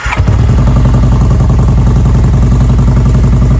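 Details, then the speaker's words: 2016 Kawasaki Vulcan 1700 V-twin, cold start warming up before an oil change: deep, even lumpy pulses at fast idle, no knocks or rattles; normal cold start. "You guys can hear this exhaust. He's got a pretty nice exhaust on this thing."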